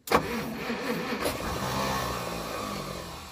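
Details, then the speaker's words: 1937 Pontiac Silver Streak barn find, long sitting, cranking with ether and throttle, choke off: starter bursts with ragged sputtering catches that never pick up; no-start, weak, inconsistent spark, points suspected bad. "it just doesn't have good enough spark"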